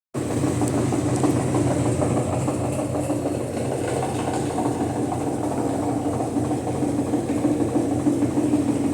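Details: Brastemp BWL 09 washing machine on spin: steady drum rumble with uneven knocking clatter each turn; worn suspension rods letting the tub bang.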